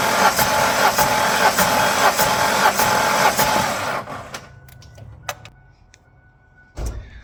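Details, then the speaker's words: 1996 Ford Ranger with P0302 cylinder 2 misfire, unchanged after new plug, wire and coil: starter cranks about four seconds with an uneven limping beat, no start; cylinder 2 has no compression, head gasket or engine suspected. "all right so our number two our number two um cylinder it's not looking so good it's getting no compression oh no"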